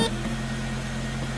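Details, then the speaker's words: 1992 Nissan NX, 1.6 L fuel-injected manual, running after a no-crank complaint was repaired (owner had been push-starting it); steady, even, smooth low hum with no misses; running properly. "this is 1992 technology here check it out ah digital dashboard and it starts"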